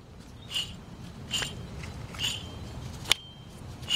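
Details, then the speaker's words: Old rear hub removed from a 2003 Toyota Corolla, spun by hand; gritty scrape with a squeaky tick each turn, under one per second, where it should spin smooth and silent; worn rear wheel hub bearing, replaced with a new hub. "so as you can see the old hub was pretty bad you can hear the noise"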